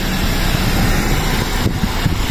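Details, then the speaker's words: Warm-idle 2001 Toyota Altis 1.8G after the oil pan was removed and the strainer cleaned during an oil change: a low, steady, even idle with no ticking or rattle. The earlier noise, present even when warm, is gone. It is held off hard revs while the new gasket seats. "So ayan, napakatahimik mga kadeway, oh. Wala na yung ingay. Wala din dito."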